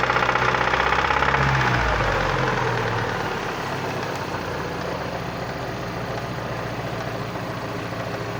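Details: Vectra Challenge engine at idle: a steady tapping about four per second rides over the idle, quieter after the first seconds. Strange engine knocking noise, origin unknown.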